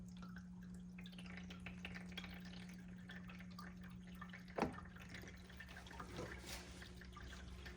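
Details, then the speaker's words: AeroGarden Bounty hydroponic unit: after reconnecting its long-unplugged pump and topping up low water, a steady low pump hum with trickling and dripping water; pump running and circulating normally. "This thing takes a lot of water. There we go, can you hear the pump running?"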